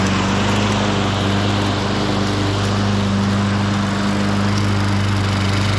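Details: 1998 Ariens 21" self-propelled mower with VLV60 single-cylinder engine, after drive-belt tension spring replaced: steady, even drone with no surging or knocking, running healthy.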